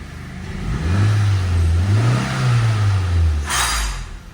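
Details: Nissan Sentra that would not start, after replacing an incompatible ignition coil with a different replacement brand: catches cleanly, rises to even fast idle, holds steady without misses; check engine light no longer comes on, runs normally.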